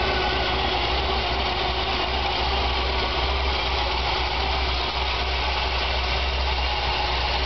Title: Chevy 454 BB Rough Idle first start